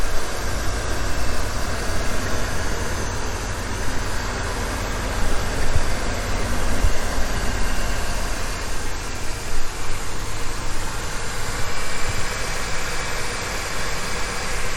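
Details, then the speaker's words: 27-year-old OBS Ford truck, 4.9L inline six, 177,000 miles, started and idling: steady even low rumble with no knocks or misses; normal idle. "But let me start it up. You guys can hear how it sounds. And the radio works. Runs fantastic. 177,000 miles."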